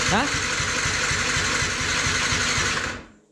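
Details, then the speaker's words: Yamaha MT 125 motorcycle being revived after a crash, spark restored, plug refitted, no cooling system connected: starter churns at about four even compression beats a second for three seconds and never catches; the fuel system was not primed. "does not run H well it runs now it needed a prime I don't know why but it needed one"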